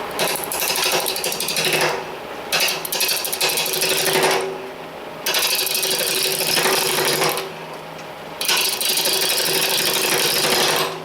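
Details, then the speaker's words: Powermatic 2014 lathe rough-turning a hackberry blank at about 800 rpm, before stuffing styrofoam into the legs: bursts of harsh chatter with a thin metallic tinny ring from the resonating hollow stand legs; the styrofoam later reduced it greatly. "but it gives the lathe kind of a tiny sound when you're turning especially uh rough turning from half a log or whatever"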